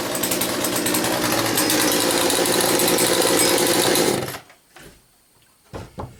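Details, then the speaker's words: Poulan Pro 4218A chainsaw, cold start after four months of storage, started in two pulls: steady high-pitched two-stroke buzz holding even for about four seconds before cutting off; normal running. "now that was two two pulls i think and like i said this thing haven't been started for four months"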